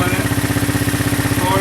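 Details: Honda 200SX field-find ATV, first running after revival with starter wiring reworked: steady, even single-cylinder putter at a quick idle with regular exhaust pulses and no knocks; the small four-stroke runs healthy.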